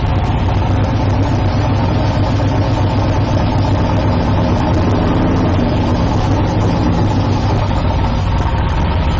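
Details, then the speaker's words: 1972 Chevrolet Nova V8 drag build after valve body repair and trans brake modification, shifting neutral to reverse: steady even idle rumble, no clunk, slip or whine; reverse engages cleanly. "Looks like we have reverse. There's neutral."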